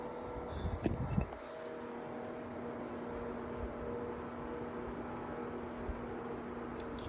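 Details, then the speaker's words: 3-in-1 tower fan on speed one: steady low hum around two hundred cycles over soft airflow, louder than expected. Owner suspects the fan motor is faulty; not confirmed. "I think the motor on this thing is messed up because do you hear this?"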